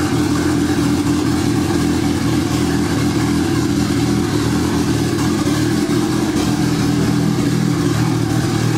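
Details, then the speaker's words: Honda Civic wagon with a turbo D16Z6 Vitara engine, first start after about two years sitting: wavering, stumbling rough running because the base map had about zero degrees idle timing. The owner raised it to about 21–23 degrees, and it ran better. "for some reason this base map that I downloaded it out like zero degrees in it at timing on idle which doesn't make any sense I gave it like 23 ish degrees 21 like 23 degrees"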